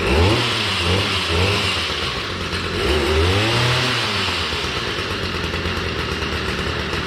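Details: Old Stihl tiller engine, unrun for years, after being revived with fresh fuel and spark: small engine revs up and down smoothly, picking up and holding speed without stalling or missing, running healthy now.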